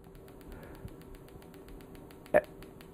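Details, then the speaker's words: PEMF-100 high-intensity pulsed magnetic field therapy unit: sharp, dry clicks at a steady rate of about six a second over a faint hum as intensity is raised; normal coil discharge clicking. "can hear the clicking and the frequency actually increases significantly now even below the level of discomfort with muscle stimulation"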